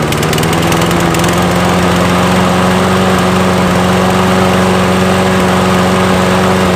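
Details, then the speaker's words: Nearly new Toro mower after repair, ethanol-free fuel, air filter reinstalled, electric start: steady, even drone at constant speed without surging or knocks; running healthy. "i'm happy when things work out got a free mower and it starts and the electric start works as well"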